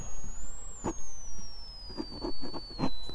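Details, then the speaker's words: 1925 RCA Radiola Model 100 speaker fed a sine-wave generator through questionable old wiring; faint whistle sliding down in pitch, barely audible, very weak output; horseshoe magnet suspected near dead, not confirmed. "hear that very slightly it's so very low um it is there"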